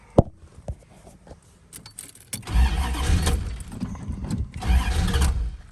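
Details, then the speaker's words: Classic Chrysler not started for two or three months, pumped before cranking: keys rattle, then two bursts of steady cranking that never catch; no-start from empty fuel tank, ran after adding a gallon of gas. "come on oh now to be honest with you guys i think it just might be out of gas surprise surprise"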